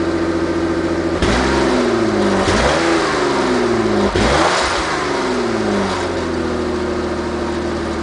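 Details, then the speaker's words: Ford Taurus after replacing holed, rotted muffler and tailpipe: three smooth rev-ups back to deep even idle, low mellow exhaust without rasp or rattle; normal exhaust note. "well that's much better than she was before sounds nice and low there I like it"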